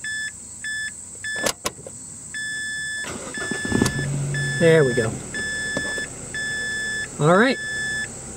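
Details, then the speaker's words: 2005 Mazda 3 after fuel pump and tank replacement, now holding 45 psi resting pressure after 10+ minutes, where it used to drop to zero and cause long cranks: with door chimes ticking, a short crank and it catches almost at once. A quick, normal start. "let's see if it starts up now a little bit easier than it used to remember that was the whole reason for changing the pump was blowing crank times due to that resting pressure going to zero"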